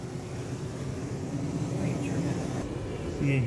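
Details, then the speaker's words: RV furnace that clicked but wouldn't come on, after a simple fix, switched on at the thermostat: low, steady blower rumble with an even roar, no clicking or cycling; furnace lit and running normally, blowing hot air. "hear that it came on you hear the noise so that's the furnace"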